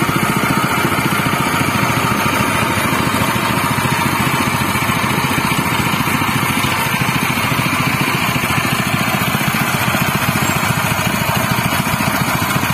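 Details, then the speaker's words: General CX200 6.5 hp, 196 cc single-cylinder air-cooled 4-stroke OHV petrol engine (pull start, 20 mm shaft): steady, even putter at a constant speed with no knocks or misses. It is running normally and smoothly. "Itulah tadi teman-teman bunyinya dari CX200 dari General ya. Dari suara memang cukup halus ya."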